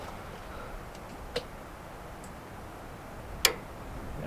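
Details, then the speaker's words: Older Suburban RV furnace with metal fan, power reconnected and fuse installed after twisting the two blue wires together: two sharp clicks in quiet room, blower never spins up; nothing but a click. "Okay, did you hear that? Nothing but a click."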